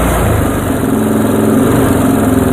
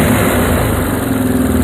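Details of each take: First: Yamaha Moto 4 single-cylinder during restoration, idle while turning the carb mixture screw in half turns: chugging idle with a few stumbles and hiccups in the beat. Lean mixture causing misfire. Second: Moto 4 ATV being restored, carburetor mixture screw turned out a half turn: loud, even, steady single-cylinder idle with no misses or stumbles; the mixture is set well.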